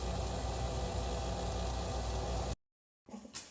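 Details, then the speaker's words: Red Dragon Bubble King 2000 skimmer pump, before repair: steady dense buzzing rattle over the running pump hum; the magnet turns loosely on the impeller when held by hand, causing the rattle. "You can see my left hand right here, the magnet is actually turning. It's not supposed to be that way"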